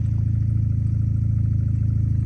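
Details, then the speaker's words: Mazda Miata with automatic transmission, just after installing a crank saver, a new PCV valve and a new vacuum hose, cold day: steady idle with a low drone and fast rhythmic pulse; owner suspects the crank pulley still needs tightening. "but there there's a slight noise it almost sounds like that crank pulley still needs Titan"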